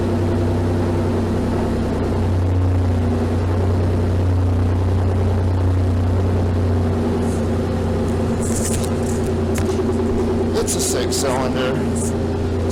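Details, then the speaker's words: Rusty gasoline manual car whose exhaust came detached about two months ago. It gives a loud, raw, low rumble at steady idle with an unmuffled, blatty edge. It used to be quiet and now backfires, an exhaust leak. "The exhaust is detached somewhere. That happened about 2 months ago maybe. So now this car is exceedingly loud. The engine runs loud."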